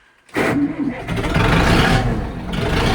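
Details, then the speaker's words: Zetor 7745 tractor diesel, cold start at -10 °C after engine preheating with a 2000 W 230 V coolant heater; catches after a brief crank, then a steady, even rumble on light throttle, purring like a cat: normal cold start. "A je to. A pradie si ako mača."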